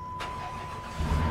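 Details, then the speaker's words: Government-auction vehicle with a 4.7 L engine that had likely been sitting, 195 on the dash: a chime, then the engine fires within about a second and picks up cleanly. Normal start; the check engine light is on and a slight belt squeak follows. "Well, yeah, starts right up, no problems."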